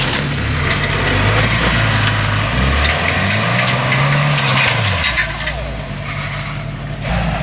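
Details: Toyota with a long-failing but still working transmission: a low whine rises and falls with road speed over road rumble, from a worn, noisy transmission.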